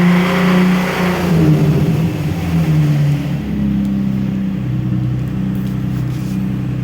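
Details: Infiniti G35 engine idling and blipping revs: uneven light ticking/knocking under the exhaust note; cause unknown.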